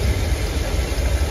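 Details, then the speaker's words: 454 V8 in a 35-year-old motorhome, first start with the new exhaust routed behind the transmission fan: deep steady rumble with even beat, no knocks or misses, pretty quiet; temperature looking good, timing may still need setting; normal idle. "yeah that's nice it's pretty quiet"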